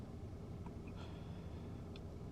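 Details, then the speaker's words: Audi/VW Passat petrol idling steady and even, no surging or hunting, right after replacing the stuck camshaft magnetic adjuster solenoid that caused P0011 and misfire; check engine light still on. "all right so I just turned the car on and it's idling way better as you can see it's"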